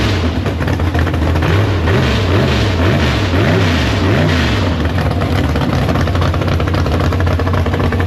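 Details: Big-block Chevy V8 in the Farm Fresh gasser, warmed up, downjetted 750 carb: loud lumpy engine blipped a few times, revs rising and falling cleanly, then steady even running with no knocks. Normal running, no leaks.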